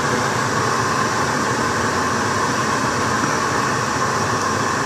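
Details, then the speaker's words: Car heater blower fan running, heater hoses not yet connected, air felt from the vents: steady, even rush of air with a faint hum and no rattles or ticking; blower working normally. "that's blowing air now it's blowing air out of the vents so i guess i can feel the air coming out of there"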